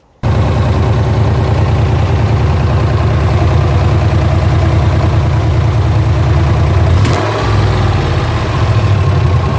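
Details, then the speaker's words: Camaro Z28 LS1 V8 with ported 243 heads, cam and nitrous swap: steady idle with faint quick tick over the rumble; a piston was damaged during or after the swap, valve-to-piston contact ticking. "took it back to the guy that did it, the install, and he had said that he had fixed it, that he couldn't hear any more noise, and I could still hear that there's a ticking noise going on."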